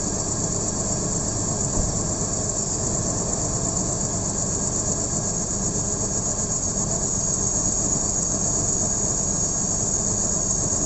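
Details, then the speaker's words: BMW M54B30 straight-six petrol idles unevenly, low beat stumbling now and then; misfire and bad idle, owner suspects one of the six ignition coils, left side cover removed to test them; rough idle with misfire. "So I'll basically go through the coils. There are 6 of them, so straight 6, and then trying to find out which coil is misbehaving and giving me the bad idling and misfires."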